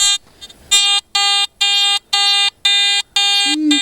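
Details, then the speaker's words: Garrett AT Gold metal detector swept over a hot iron seam with a gold nugget on top, not yet ground balanced: steady high chirps roughly twice a second, false signals burying the nugget. "all right have I haven't ground balanced at Gold yet but listen to"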